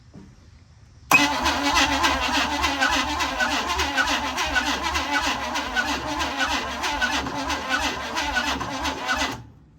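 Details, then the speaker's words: Formerly seized 265 V8 in a 1956 Chevy Bel Air, with a carburetor leak: sluggish, labored cranking about three beats a second that never fires; grounding issue suspected of causing slow cranking. "I'm guessing that's why it's not spinning over fast enough, because that's spinning over pretty slow."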